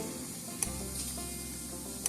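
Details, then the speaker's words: Taylor Fence Cyclops Brute electric fence energizer, plugged in for testing after a blown fuse from a lightning strike was replaced: two quiet sharp clicks about 1.4 s apart over faint hiss, normal pulsing. "make sure it starts clicking for you this is the the light that should be clicking right here you should hear that"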